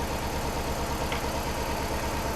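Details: 1UZ/3UZ V8 swapped into a Subaru BRZ on Haltech management: lumpy idle with a steady repeating stumble each cycle, one cylinder still dead after swapping the spark plug; misfire not caused by plug or coil pack, injector circuit next.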